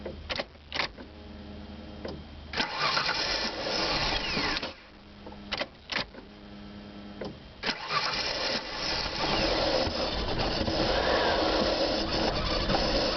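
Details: The starter churns in stop-start bursts for about eight seconds before the engine finally catches and runs; a long, hard start.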